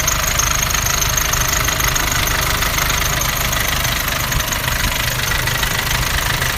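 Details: Nissan Navara D40 2.5 dCi diesel at idle: harsh flywheel-like rattle pulsing about twice a second, suspected dual-mass flywheel; turned out to be a cracked intake manifold.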